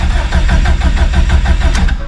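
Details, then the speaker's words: Subaru STI with stock OEM EJ257 longblock, about 66° morning, mechanical fuel pump with no lift pump, in neutral: starter churns in even pulses, about six a second, for a couple of seconds without catching while fuel pressure slowly builds. "because it does have a mechanical fuel pump on it with no lift pump so I'm going to have to crank it for a moment here if you watch fuel pressure which is in that top right corner it will slowly start to build"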